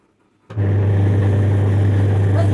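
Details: Washing machine: loud, deep drone starts abruptly and holds steady while the drum drives, worsening over two to two and a half months; worn gearbox.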